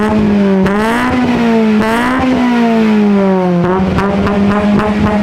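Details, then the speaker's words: K20Z3 K-swapped 1996 Honda Civic hatchback, Burton Racing ECU, fuel table adjusted for some E85: clean rising and falling revs on throttle blips, smooth even tone, no misfire or knock; sounds good, normal revving. "That sounds pretty good. Sounds nasty, yeah."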